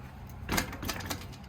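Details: Drop test of a bike: one solid thump on landing and a couple of short settling taps, no chain slap or lingering rattle, all tight. Rider noted the suspension weakening over bumps.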